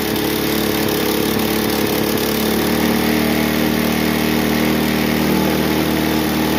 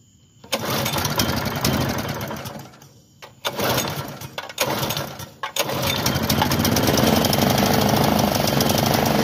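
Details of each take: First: Bluebird belt-driven aerator, small single-cylinder pull-start engine that previously wouldn't run, after cleaning carburetor with diaphragms still working: runs on its own with steady even buzzing beat, no stumbling; running normally. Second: Bluebird belt-driven aerator, small pull-start engine, bought non-running, fresh gas in tank: several pull-start bursts that fire and die, then rough, uneven running; clogged carburetor starving fuel, carb later cleared with wire brush.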